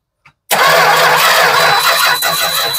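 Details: 1967 Travco 220 RV with big block Chrysler V8, parked since 1988, new points fitted, no output from coil: steady hard cranking drone with no catch or rise in speed; turns over but never fires, crank no-start.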